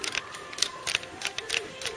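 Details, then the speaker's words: Ford Cortina MK3 GXL restoration, custom switch panel backed with Vero board to stop switches springing back: crisp, positive clicks about every third of a second, switches now operating properly. "so that it was tending to spring back a bit too much and you weren't getting positive action on the switches so we're better there now so there you go you can hear that clicking"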